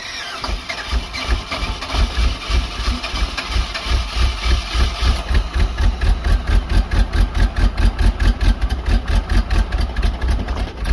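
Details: Box truck small-block Chevy V8, low compression, refired after refilling a cracked, leaking radiator with water: lumpy, uneven chuffing around ninety-some beats a minute, stumbling and missing; owners suspect a head gasket issue after it smoked.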